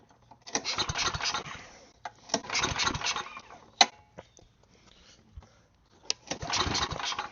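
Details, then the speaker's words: Side-shaft small go-kart engine, on choke then half choke, fuel in the tank: three short cranking bursts that never catch; fuel isn't reaching the bowl. "If fuel leaks out of it, then it's getting fuel. No fuel. I'm gonna pinch the fuel line off because fuel will start pouring out. No fuel means the needle is just plugging somehow."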